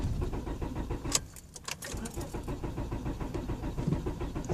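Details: 1999 Honda Accord LX cranks steadily at about three and a half turns a second but never fires. Main relay solder joints were checked fine and there is spark at all four plug wires. A little gas sometimes helps.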